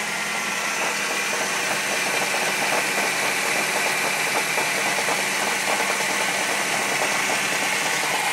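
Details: 1995 Saturn SL2 starting after 8 months of storage, starter tested good, blipped with clutch in: rough rattling rumble under the hood with dull repeating knock; bottom-end noise, engine needs rebuilding.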